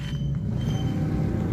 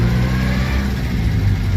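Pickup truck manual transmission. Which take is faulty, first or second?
second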